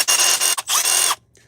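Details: Small cordless impact driver on red lithium XC battery at about one bar; high-pitched buzzing bursts stopping and restarting crisply with no rattle or drag: healthy, strong, normal running.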